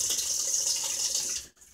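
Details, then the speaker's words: Whirlpool washer with all-lights-on fault, in diagnostic test mode: cold valve test, steady hiss of water rushing in then cutting off cleanly; cold inlet valve opening and filling properly. "so yeah we'll cycle on to the next one which is one light on this cold Val link check this with the lid opening"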